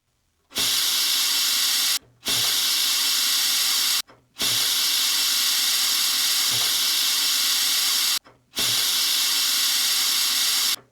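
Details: 1950s Vixen spark plug cleaner and tester, sandblaster test on a grimy plug behind a homemade guard: sharp, even hiss blasts of about 1.5 to 4 seconds with clean cutoffs; the blaster works and cleaned the plug.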